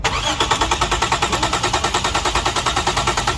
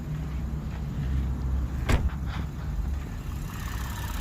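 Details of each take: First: 2007 Lexus GS300, engine cranks but won't start, check-engine light not on at key-on: steady fast starter churn with even compression pulses about six a second, never catching. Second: 2007 Lexus GS300 that had cranked but not started, with no engine warning light, starting next morning: a few brief noises early, then smooth, steady idle with even beat and no knock or miss; healthy.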